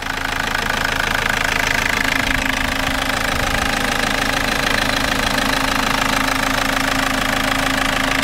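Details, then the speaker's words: 2004 Toyota Corolla 2.0 D4-D diesel, warm idle after battery-disconnect OBD reset: light even clatter about three per second over engine hum, much quieter than before; injectors seem silent, noises fade above about 1500 rpm, source unknown. "le moteur au ralenti à chaud fait beaucoup moins de"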